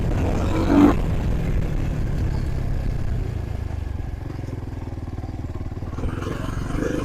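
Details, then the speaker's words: Trailmaster TM31 dirt bike, roughly 223 cc single-cylinder: low idle that lopes and sags unevenly, about four pulses a second; rough idle from carb not dialed in. "usually with the other car unless you drill that out like I showed you uh you're going to have complications as far as it idling just like this is right now"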